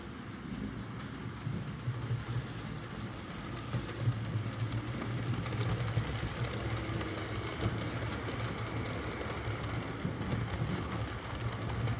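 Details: Used Hornby R2959 Thompson L1 2-6-4T running on the layout after greasing the worm gear: soft, even motor whirr with light rhythmic rail clatter and no grinding. The earlier forward grinding was caused by the double gear lifting against the worm gear.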